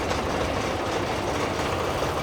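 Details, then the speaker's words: Honda 30 outboard idling roughly with cylinder compression of 12, 12 and 11.5 kg/cm2, carburetors cleaned but not yet tuned, normal oil pressure: an indistinct knock underneath, which disappears with the lower unit removed; lower unit gear knock. "Some kind of indistinct knocking presents."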